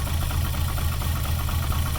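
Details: VR6 engine idling with slight smoke from the PCV valve; throttle nudged to help it catch. Low idle throb with uneven, shaky pulses instead of a smooth beat; rough idle, cause not pinned down.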